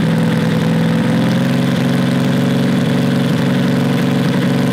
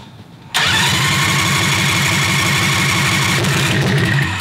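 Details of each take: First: Predator 670cc V-twin vintage dragster go-kart running with its newly made header: steady, deep exhaust note with a light metallic buzz; the unsupported exhaust is rattling and needs a hanger. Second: Predator 670cc V-twin dragster go-kart with new homemade header, running 95-octane Sunoco Optima: quiet, then sharp catch into a steady, deep throbbing idle, exhaust rattling a bit as it needs a hanger; healthy start.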